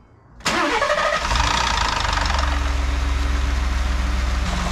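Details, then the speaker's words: 2018 Ford F-150 XLT right after replacing both catalytic converters (MagnaFlow) and reseating the exhaust: starts and settles into a steady, even idle, cam sensors audible, cam slightly out of phase, no ticking or exhaust leaks; normal idle. "I don't hear any ticky ticky. I hear the cam sensors. The cam's a little bit out of phase. I don't hear any exhaust leaks."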